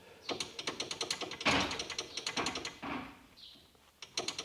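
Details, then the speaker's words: VW Golf mk2 GTI 16V ABF, oil cooler pushed by hand: quick irregular clattering taps as the oil radiator moves loosely on its odd bracket mounting; loose mount. "don't know if you guys can hear that look at that I mean that's not great either really"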